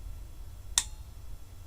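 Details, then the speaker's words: Car jump-starter power bank: one sharp click in a quiet room as the internal relay engages when the boost button is pressed, normal operation. "Did you hear that? Relay inside."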